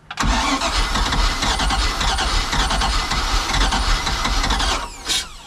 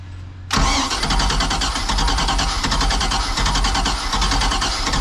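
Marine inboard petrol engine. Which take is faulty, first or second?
second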